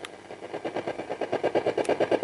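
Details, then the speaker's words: Infrared remote held near an AM radio: steady buzzy pulse train about six bursts a second while the button is held; remote working. "now you can hear it so that's another way to check if it's working"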